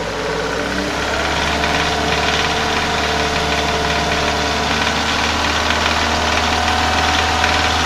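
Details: Renault Scenic 2 / Megane 2 K4M engine, steady throttle at 2000–2500 rpm: fast regular metallic tapping like pinging from bad fuel, vanishing when the pedal is released or pressed; cam phaser and its solenoid had been locked closed.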